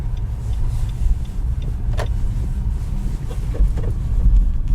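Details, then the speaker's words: Nissan Rogue / X-Trail T32 driven over speed bumps and potholes at about −2 °C or colder: low cabin rumble with short harsh creaking squeaks from the front suspension; silent blocks and stabilizer bushings checked and ruled out. "Но здесь не гремит, а появился неприятный очень скрип. Проезжая неровности лежачих полицейских, ямки, бугры. Очень это раздражает."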